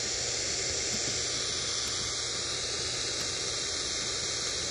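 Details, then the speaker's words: Late-1940s/early-1950s Ford (Zenith) 6-volt AM tube car radio, tuned to 1 MHz (IF 262 kHz) to listen for the converter; only steady hiss, no tone. Converter oscillator not running; the set appears to have all the wrong tubes fitted. "so yeah it does not appear the converter is running in the car radio"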